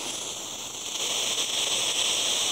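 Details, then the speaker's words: Butane soldering iron burner: steady, even airy hiss that swells brighter when throttled up; burner firing properly and hot. "now it works when i throttle up and yeah that thing is toaster toaster"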